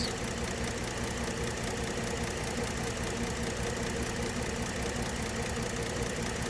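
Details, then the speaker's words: 2012 Ford Edge 3.5 V6 at idle with code P0352 (ignition coil B) and all six coils already replaced: uneven, loping beat, a solid misfire on cylinder two, felt and heard. The cause was a burnt coil-driver transistor in the engine computer, and repairing it fixed the misfire. "okay solid Miss on number two um you can feel it and hear it out here"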